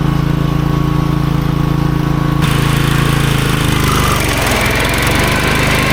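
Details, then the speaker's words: Toro GroundsMaster 52 with replacement used Briggs & Stratton cast-iron 16hp single after rod failure: steady single-cylinder thrum dipping slightly as the deck takes load while mowing; idles and runs well; normal running under load. "It looks like it's idling well, it's running well, you know, for an engine in this condition."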